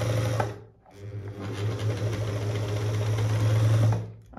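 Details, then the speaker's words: Dorina Overlock 710 serger, very dirty, with the motor worked loose from its mounting and still running: steady low hum with a loose, buzzy rattle underneath; the loose motor is the fault, cause unknown to the owner. "hier ist Motor hat sich getrennt also normalerweise das wird so das sollte so fest sein aber Motor hat sich irgendwie gelöst und dann gearbeitet"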